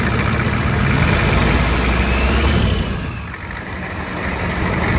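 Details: Ford 7.3 diesel first start with a first-generation Banks turbo kit and homemade intake hat, injection pump and oil line reconnected: even clatter about four beats a second, settling after a brief dip; healthy idle, no oil leaks.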